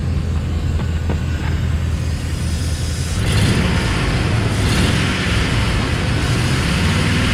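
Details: 2006 Dodge Ram 1500 Crew Cab short box 4x4 TRX4, running with some vibration and shake: steady low idle, then a constant airy hiss holds over the engine from under the hood, source not pinned down.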